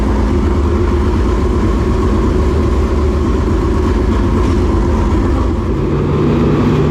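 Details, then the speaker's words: Dirt late model race car engine running loud and steady with an even, lumpy beat and no misses or knocks, checked after a frayed, rubbing belt was found; sounds healthy. "Well, that sounds good. Yeah. Sounds good. Never missed a beat. Never missed it."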